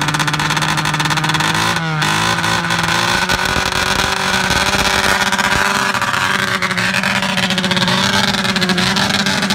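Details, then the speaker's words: Arctic Cat ZR440 snowmobile two-stroke, first test drive after rebuild: holds high revs, then sags and stumbles with too much throttle and must be held halfway; stalls when off the gas. Bogging, needs fuel pump and carb tune. "well it actually rips but you just can't give it too much gas you got to hold it halfway"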